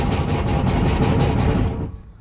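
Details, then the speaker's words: Van engine started briefly: heavy uneven low thumping and banging, engine/transmission jumping around, then cuts out; owner earlier saw fluid leaking and suspects transmission; engine knocking at startup. "that's my engine slash transmission jumping around. Not good at all."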